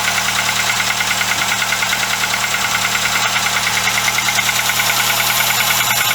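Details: VW Golf Mk2 carbureted engine, cold start after cylinder head gasket replacement, coolant leak from cracked wax-stat choke pipe, main crankshaft seal oil leak: steady, even idle with fast regular tick, no misses or stumbles.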